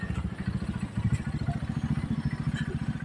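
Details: Supremo 150 motorcycle that ran out of oil: the small engine idles with a heavy, fast metallic knock on every firing stroke, from oil starvation.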